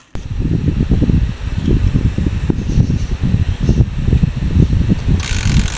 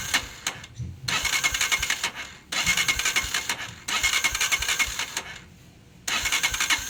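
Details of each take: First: Honda TMX 125 Alpha after tune-up for hard starting and loud tappet noise: now starts on one click and idles with an even single-cylinder thump, tapping gone. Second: Honda TMX 125 Alpha motorcycle, hard starting and hiccuping, with loud valve noise: repeated short cranking bursts with pauses, catching only briefly and never settling; suspected valve clearance too loose, tune-up planned.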